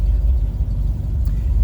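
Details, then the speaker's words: 1960 Pontiac Bonneville Bubble Top, engine idling: steady even low hum of the heater blower motor with no rattle or squeal, so it works normally. Heater hoses are off the heater core, and it may need a heater core. "blower motor working on the heat. Like I said, it is operational."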